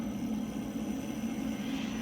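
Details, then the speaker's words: Motion variable-flow hydraulic filter cart, pump/motor started at speed 0 and slowly turned up: rough churning low rumble with uneven flutter and flow-meter needle chatter while the pump primes. Cavitation that stops as speed rises. "As you do that, you'll see your flow increase, and you may see this needle chatter a bit as it gets prime in the pump. Turn that up until you do not get that noise, which is cavitation."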